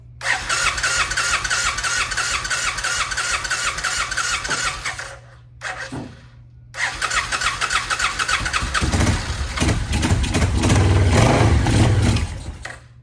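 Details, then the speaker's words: 1990 Suzuki VX800 V-twin, sat a long time, running on carb cleaner spray: lumpy, uneven firing that dies out momentarily and picks back up; rough running, carburetors need rebuilding. "So, we know the thing is capable of at least running, which is good."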